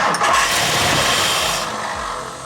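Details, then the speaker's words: 1964 Mercury Montclair, Ford FE 390 V8 with new cam and intake kit, run from a boat tank: fires briefly on the key, then sags and dies once the key returns to run. "Yeah, it acts like it's dropping off with the key. Right? That's freaking weird."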